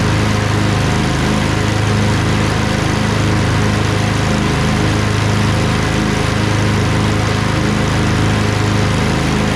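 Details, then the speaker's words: Craftsman LT2000 lawn tractor repowered with a Briggs 20HP Intek V-twin, owner suspects a blown gasket. After about 10 minutes with PTO engaged: steady, even beat at constant speed, no misses or knocks, no smoke. Normal running. "it's been running for about 10 minutes there's no smoke usually when i run it for about half an hour"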